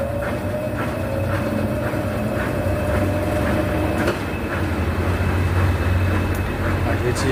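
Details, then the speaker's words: Brastemp BWH15 15 kg washer that spun very loudly (not the bearing), after adding foam between tub and cabinet to stop contact: even low spin drone, light periodic swishing, few faint clicks, no banging; noise greatly reduced, only normal vibration. "percebe que já barulho diminuiu muito, né? Ela tem, claro que ela tem um barulho, né, pela própria vibração da máquina, mas aquele barulho alto onde incomodava até já diminuiu muito."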